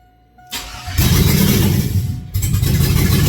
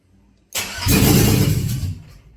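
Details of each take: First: 2001 Cadillac Escalade mud-truck project, first start with foot on throttle: cranks briefly, catches and runs steady and even on all cylinders, before water pump and mid pipes with O2 sensors are installed; normal start and run. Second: 2001 Cadillac Escalade 4.8 V8, not run in a while: short crank, catches and runs roughly about a second, then dies; spark, fuel pump present; VATS suspected, then ruled out; starts and stalls.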